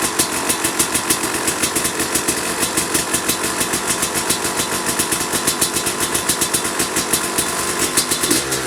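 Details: 2005 Kawasaki KX250 two-stroke, first fire-up after rebuild for low compression (piston shot, plating questionable, crank play): crisp rapid popping at steady idle with sharp rev blips, firing evenly; running healthy.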